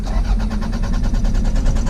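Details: Toyota MR2 Mk2 that sat for 14 years, first crank attempt; starter spins the engine in a quick, even chug, about eight pulses a second, but it never catches or fires; cranks but no start.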